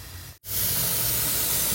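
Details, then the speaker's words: Sanyo one-door refrigerator not cooling after freon refill and new condenser, cover removed: steady sharp hiss from a tiny corroded leak in the evaporator, which is unusable; refrigerant leak. "jadi di sini ada yang bocor nah ini ya Nah ini nih ada yang bocor nah ini ada korosi ini kecil banget ya"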